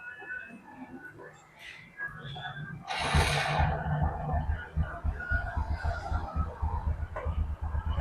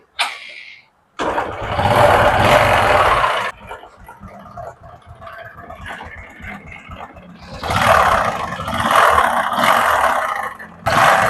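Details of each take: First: Honda Karisma motorcycle engine after a rebuild with a new connecting rod and nearly all main components replaced, earlier starved of oil, settles into a soft, steady putter with no knock: normal running, like new. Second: Honda Karisma motorcycle engine that once ran out of oil starts, then a harsh heavy clatter from between block and crankcase rises with revs; suspected piston or connecting rod damage: connecting rod big-end knock, before teardown.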